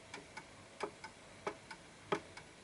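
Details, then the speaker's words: Antique Westminster chime pendulum clock ticking unevenly, out of beat, as the case is shifted right to adjust for the surface's level; close tick pairs with long gaps, not a perfect tick. "That's off, because it's a little bit, it's not a perfect tick."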